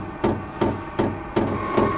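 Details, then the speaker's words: Diesel parking heater at startup: sharp, even ticks about two or three a second over a low fan hum as the fuel pump starts pumping, rate increasing before it fires up. "hear that ticking that's that fuel pump starting to Pump Fuel into it hopefully it'll start combusting here soon and it's increasing a little"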